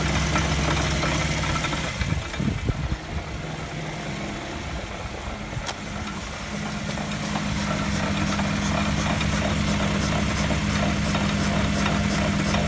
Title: ハブベアリング異音 サウンドスコープ診断